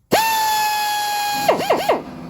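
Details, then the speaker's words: Restored old Snap-on air drill on about 80 psi (max about 90), run forward and reverse: clean steady high whine then quick throttle blips, no grinding, uses lots of air; normal running. "seems to be going all right let's see the action press has kicked in does use quite a bit of air which is uh not too great but uh it's not this means it's got a heap of power you know"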